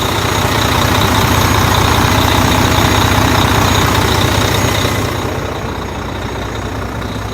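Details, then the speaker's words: 2015 Volvo VNL 670 with T13 diesel engine, DPF equipped: even, steady diesel beat at about two and a half firing pulses per second, no knocks or misses; typical smooth, healthy idle. "See here we've got the T13 engine. Here it sounds good. Got that typical smooth idle that Volvos are known for."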